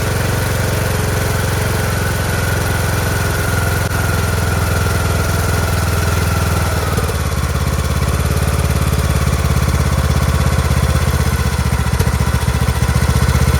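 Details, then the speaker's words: Craftsman T1600 (T600, MTD-built) 46" lawn tractor, Briggs 19hp single-cylinder, first start after replacing blown cylinder head and head gasket: steady, smooth idle, slightly questionable at first then settles lower; oil residue burning off; normal idle. "that's it that's idle sounds fantastic [Music] [Music] fantastic such a smooth engine sounds perfect in the beginning it's a little questionable but once it got over that first hump sounds fabulous"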